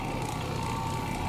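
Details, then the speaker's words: Carpet-cleaning orbiter machine, freshly tuned up, running on stairs: steady even hum with no clunks, clicks or banging; machine running smooth and sound. "no clunking clicking and banging you know that's one of my pet peeves always has been if there's a way to make it not do that i'm gonna do it"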